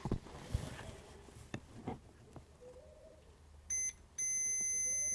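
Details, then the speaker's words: NiteCore New14 Intellicharger battery charger, multimeter in diode mode across bridge rectifier: steady high beep like a dead short with leads swapped; one diode works, the other is shorted; shorted bridge rectifier diode. "If we swap our leads around, yeah, that's definitely a dead short. So that bridge rectifier see that diode, that side is working, but that one's a short."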